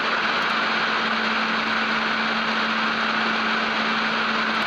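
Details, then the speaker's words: NUX Cerberus pedal at high gain with the noise gate off, after fitting a Joyo ZGP to cure display interference whine: an even, quiet hiss with a faint steady hum and no buzzing or rattle; the remaining noise floor is low. "but it's much lower than it was before and as you heard when the noise gates on it doesn't rattle so it doesn't raise the noise floor enough to open the noise gate"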